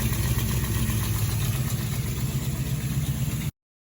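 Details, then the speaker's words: 1972 Camaro 383 stroker V8, sat since 2011, first run after revival; loud lumpy idle with an uneven puffing beat about four per second plus noisy lifters from its large hydraulic flat-tappet cam. Finding: exhaust header leak. "let's slip it on the header there is what is pretty much just sounding terrible I was listening to the NAS like man it sounds like things all sleep lipid"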